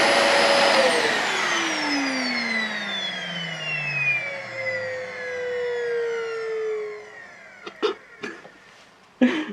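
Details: Dyson DC40 Animal vacuum when switched off: a high steady whine slides smoothly downward like a dying siren, ending in a few sharp knocks; cause unknown.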